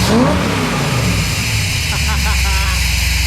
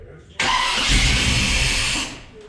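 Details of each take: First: Small-block Chevy 400 V8 with a newly installed JEGS Bandit EFI, idle set to 750 rpm, about 13 AFR, 11 inHg vacuum: deep, even burble revving cleanly and dropping back to a steady idle, rowdy exhaust; normal revving. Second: Small-block Chevy 400 V8 on a newly installed JEGS Bandit EFI, first start before engine setup: cranks, catches under two seconds and dies; owner suspects the ECU needs a tach signal and the cylinder count set to eight.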